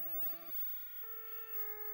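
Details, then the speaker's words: Williams Stargate pinball sound board on a bench test setup: test mode plays plain stepped tones instead of game sounds, with static at startup; cause found to be a faulty 6810 RAM chip. "we're gonna just throw it into test mode and as you can hear it's just um it's just going through tones and that is not correct for Stargate"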